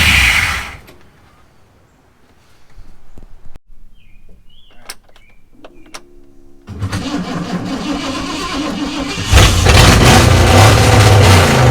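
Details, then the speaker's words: Mercury Comet V8 after sitting 31 years, pulleys refitted, radiator filled, oil pressure verified; after quiet spell engine cranks, catches and runs loud, then revs harder and rougher; starting and revving on its own. "way up hey this thing runs cool shoot yeah good flip an obnoxious alright"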